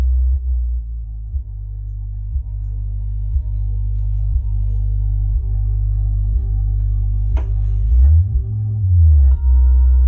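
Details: Used Klipsch R115SW subwoofer above half gain: low bass tone with a rattling buzz at certain frequencies, coming from the removed driver itself; buzz lessens when the driver is upside down or pressed by hand.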